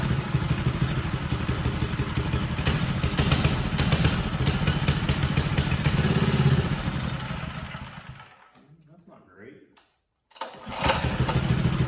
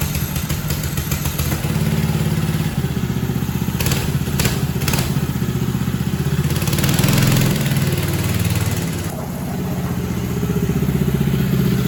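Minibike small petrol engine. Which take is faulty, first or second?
first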